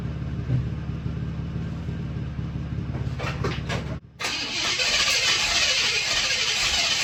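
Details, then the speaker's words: 1979 Buick Regal after tune-up with new spark plugs and plug wires: steady starter churn about 3.5 beats per second, then a sharp pop and rough sputtering; ran poorly, owner suspects plug wire routing; backfire while cranking. "and that guys is what we call a backfire caught it just in time"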